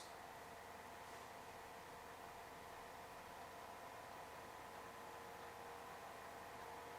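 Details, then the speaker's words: NZXT Cryo V60 bladeless-fan notebook cooler as its fan speed is raised from 1,000 to 1,600 RPM: steady airy whoosh with a faint even whine, no ticking or rattling; normal fan running. "finally have a listen as I increase the fan speed from 1,000 to 1,600"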